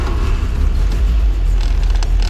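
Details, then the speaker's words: 1966 Sunbeam Alpine Series V four-cylinder, cold start on choke with steady light throttle: low, slightly uneven rumble settling toward a steady idle; normal. "can hear when it starts up. Then as it gets warm, it smooths right out. You'll kind of hear it smooth out, and that's when I push the choke in and let it run normal, and then you're good to go."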